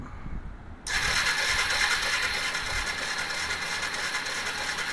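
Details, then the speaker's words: 2001 Yamaha Bear Tracker 250, long-sitting: steady starter whirr about three turns a second, no firing; no spark, pickup coil resistance out of spec and only about 0.5 V output, bad stator pickup coil suspected. "And looks like it's almost up to half a volt. So, I'm thinking we got a bad stator pickup coil."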